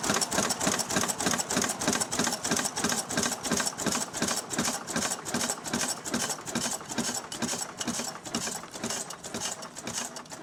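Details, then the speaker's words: Restored 6 hp Fairbanks Morse Model Z stationary engine running on kerosene, driving a buzzsaw cutting firewood: slow, steady chuffing about three beats per second, crisp exhaust bark over some rattle; normal, healthy running under load. "Alright folks, there we are. Got it running now. It's running on kerosene. I'm gonna head over now and cut up some wood."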